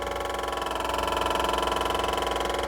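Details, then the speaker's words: MEP-803A military diesel generator during rebuild, after replacing a leaking gasket: steady, even fuel pump hum with a fine rapid pulse while building pressure, no sputter; pump priming normally, no leak. "Not squirting out there. You can tell the difference in the pump pitch."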